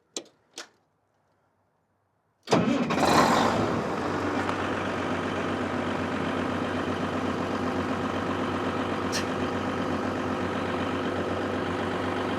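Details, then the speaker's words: Caterpillar SS250 soil stabilizer 3406 diesel, sat 5–6 years, started without priming; a few clicks, brief crank, catches first try and settles into steady even idle, no misses, about 40 psi oil pressure. "Hard to beat that. .40 psi of oil pressure."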